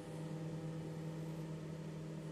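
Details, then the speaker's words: Microwave after repair of sparking (mica sheet replaced and magnetron cap restored): magnetron running with a steady, even low electrical hum and no crackle or sparking, working normally. "vous pouvez entendre comment le magnétron a déjà démarré il n'y a rien d'étincelle fonctionne bien pour tout le monde jusqu'à présent et ne se brise pas"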